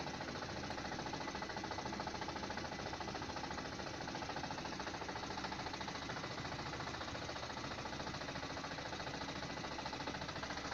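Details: 2017 Lada Granta, 15,000 km: after pulling away in reverse the car began shaking with check engine light; regular knock about three a second from the gearbox over a shaky engine, knock vanishes with clutch pressed; cause unknown.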